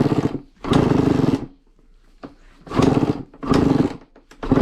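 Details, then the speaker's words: Honda CR85 two-stroke after top end rebuild, first test kicks: sharp revs in short bursts dropping to a burbling idle; sounds cleaner than before, owner thinks air-fuel screw may need adjusting. Uneven revving after rebuild. "I'll probably have to turn the not the mass air. What is it? Not the mass air, air fuel up."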